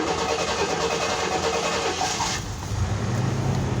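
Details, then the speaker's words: 1995 Chevy/GMC truck, first start after sitting four to five years, fuel pump heard priming: engine turns over, catches and settles into a rough but steady idle outdoors; starts after long storage. "first time starting five years she sounds good four to five years somewhere in there she's set"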